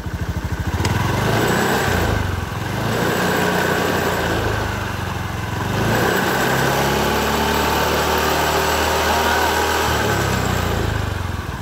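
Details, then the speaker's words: Honda BeAT FI scooter with a rough "srak-srak" noise from the CVT, engine run with the CVT cover off: revs smoothly with no scraping rattle, showing the noise came from the CVT bearing, recently replaced with a non-original plain bearing; normal running. "ya teman-teman bisa didengar suaranya tidak bunyi sak-saknya berarti yang berbunyi adalah pada lcker CVT"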